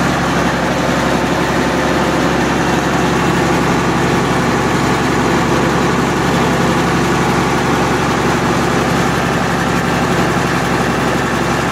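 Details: MEP-006A military 60 kW diesel genset, first run after sitting 3+ years, enclosure doors open, circuit breaker off: steady, deep, even drone at constant speed, no knocks or misses. Running smoothly; frequency reading not displaying correctly.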